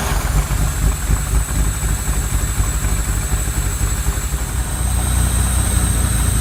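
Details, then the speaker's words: Lamborghini Countach LP400S replica, first start in at least three years after sitting in a field and a rebuilt fuel system: fired right away into a deep, even V-engine idle, no knocks; noticeable smoke. Normal idle. "well good news is it fired up right away the engine sounds actually pretty solid and strong"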